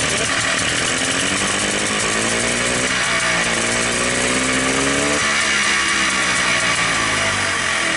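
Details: Polaris Xplorer 250 single on a Yamaha Blaster 200cc clone carburetor that replaced the flooding stock carb, with idle raised and choke off: it starts, holds a steady buzzing idle, then revs cleanly twice and drops back without stumbling; healthy running.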